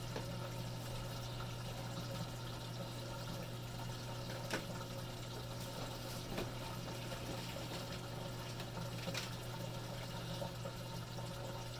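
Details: Three-year-old Samsung WF45K6200AZ/A2 washer, mainboard replaced without fixing it; in wash modes it runs its pump cycle and shows wash started but never fills or progresses: steady pump hum and gurgling, no inlet valve hiss; drain pump running, no fill.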